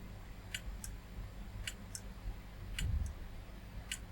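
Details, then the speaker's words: Retro PC hard drive set to master, after reseating the RAM; sharp ticks come in pairs every second or so over a low hum and the machine won't boot, later squealing. Failing hard drive with head clicking. "Yeah, just reseating the RAM solved that problem. Right, the hard drive's clicking."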